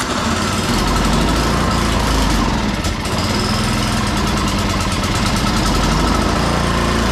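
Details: Free salvaged snow blower, oil checked and tires filled, plugged-in electric start after priming; small single-cylinder engine at steady even fast idle, no misses or knocks; normal running.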